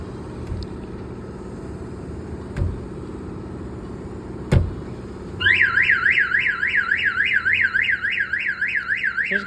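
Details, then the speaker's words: 1992 GMC Sierra 1500 Z71 with Viper 5706V alarm installed: knocks on the body trip the built-in shock sensor, then a loud wailing siren sweeps up and down about three times a second; car alarm siren. "you can hear the siren it's pretty loud so that's just like a warning chirp it's gonna go off"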